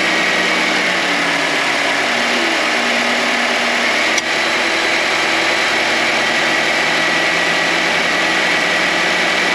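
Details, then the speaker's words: 2022 Nissan Sentra SV, owned about 1.5 years, at idle on a cold start with heat/defroster on: steady engine idle with a constant high hum over it, no pitch change; owner thinks the AC compressor makes it, only when cold. "so when I first start the car and put on the climate control for the Heat or the defroster I can hear I can hear the engagement but it does make a little bit of a humming noise"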